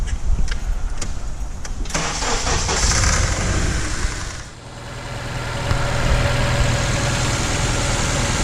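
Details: 2004 Honda Accord 2.4L petrol with no stored codes, cranking and settling into an uneven, stumbling idle with an irregular pulse: a single-cylinder misfire traced to a shorted ignition coil.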